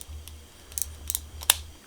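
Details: Old Shimano shifter from the 100GS group set after cleaning with brake cleaner: four crisp, distinct clicks in about two seconds with no drag. The ratchet is indexing freely; normal clicks.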